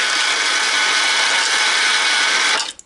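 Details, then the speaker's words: American Changer first-generation green stripe coin hopper, after disassembly, gear change and regreasing, run empty: steady high mechanical whir with light gear chatter, then stops; normal noise level. "Not bad. It's about how they should sound."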